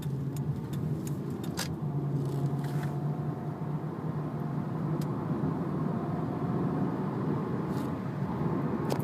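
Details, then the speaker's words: 1999 Toyota Solara SE V6, 1MZ-FE 3.0 with 4-speed automatic, about 111k miles, while driving: low steady hum under light road noise with no knocks or ticks; engine very quiet and healthy. "engine is very quiet still."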